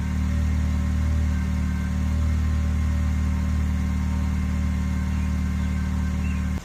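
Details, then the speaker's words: 2006–2011 Honda Civic 1.8L after replacing badly burnt spark plugs with new NGK Iridium plugs: smooth steady hum, even firing, no ticking or misfire; normal idle. "guys it didn't blow up it's running nice and it sounds good"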